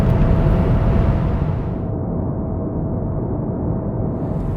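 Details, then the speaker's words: 2021 Mazda3 Turbo, 2.5L turbo four-cylinder with 6-speed automatic, about 5 years old: steady low constant-pitch drone under road noise at highway speed, a drone also heard in other Mazdas. "So, if you watched my last video on my car, you'll know I complain a lot about this droning noise it makes on the highway at"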